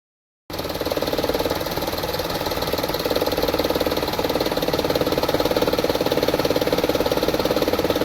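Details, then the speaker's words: 2012 Toyota Vitz, 1KR petrol engine, idling with very low RPM and an uneven, stumbling pulse; heavy misfiring and vibration shaking the whole body, also has a gear shifting problem. "Engine बहुत ज़्यादा vibration कर रहा है। पूरी body इसकी हिल रही है। इसकी आवाज़ आपने सुनी होगी, ये बहुत ज़्यादा मिसिंग भी कर रहा है और आरपीएम भी बहुत ज़्यादा डाउन है।"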